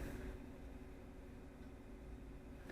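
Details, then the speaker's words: Replacement ventilation fan on a broadcast transmitter exciter, powered up to test it before swapping: a very quiet, steady airy hum with no rattle, whine or bearing growl. Better bearings; normal fan operation. "and air is coming out the holes on top that's exactly what it's supposed to do and most importantly it's quiet no noise that means these bearings are much better than the ones in my other fan"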